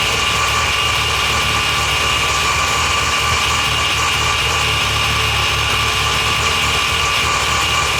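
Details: Mazda FD RX-7 rotary, rebuilt after losing compression, just installed with new transmission and exhaust attached: loud, steady idle with a constant hiss on top and no knocks or misses; running evenly, normal idle.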